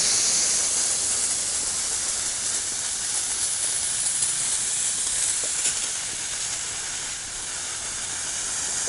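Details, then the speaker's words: Sprinkler system blowout with air compressor and blow-out adapter, zone opened via controller, shutoff valve off: continuous airy hiss rising and falling slightly as air pushes through the heads; zone blowing out cleanly, normal. "Now you can hear the air flowing through the system."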